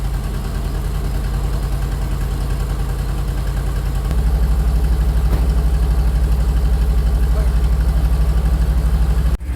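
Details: 1973 Chevy C60 fuel truck, 366 gas V8, cold start at about 10 degrees: steady low rumble settling into a slightly faster, smooth idle with no misses or knocks; normal cold idle.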